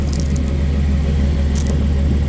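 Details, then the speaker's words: Older high-mileage truck idling just after a cold start on an 80-degree day; deep steady smooth rumble with no tapping or stumbling, owner says she's running good; normal idle. "how's that how's that sound how's that for you yeah she's running good"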